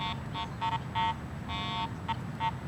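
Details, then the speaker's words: Garrett AT Pro International metal detector ground balanced for neutral soil, swept over a highly mineralized pit of dirt: repeated high beeping bursts of uneven length, ground chatter from improper ground balance. "And I've got my AT Pro actually ground balanced for neutral soil. So, listen to it as I go over this highly mineralized pit of dirt here."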